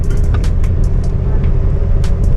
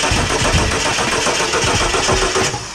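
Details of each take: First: Ford XE Falcon petrol engine idling cold, with a steady, even low rumble and no misses, knocks or hunting; runs smoothly at the lights. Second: Ford XE Falcon with added LPG relays cranks fast and evenly, pausing and resuming, but never fires; the fuel pump does not sound like it is priming, and a relay problem is suspected.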